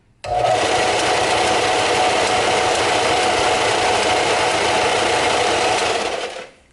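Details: New Harbor Freight Central Machinery 97181 belt/disc sander, wobble thought to be from a sanding disc not seated correctly: clean steady hum from switch-on to coast-down, no rubbing, knocking or grinding; runs normally.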